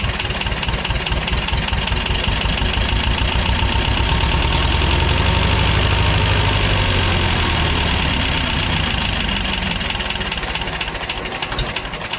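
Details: 1985 Belarus 250AS diesel tractor, revived after sitting 8–10 years, after trying a fix: steady clatter at fast idle, firing evenly, swelling slightly mid-run; running normally.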